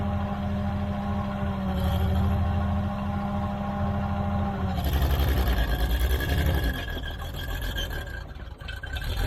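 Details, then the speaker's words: Old Caterpillar D6 dozer diesel started after fuel was found to be the problem, in lower gear doing a little blading: steady low chug staying even through a load change, scraping in background; normal running. "we got it started figured out the fuel was the problem"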